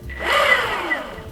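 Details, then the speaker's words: Verreal RS 2.0 electric skateboard (14Ah Samsung 35E 10s4p, street wheels), new unit just unboxed, motor spun up unloaded via remote: smooth whirring whine rising and falling, no grinding or clicks; louder and more aggressive than Evolve Bamboo GT, runs healthy. "he spins yeah that sounds a lot louder then the evolve GT and a lot more aggressive"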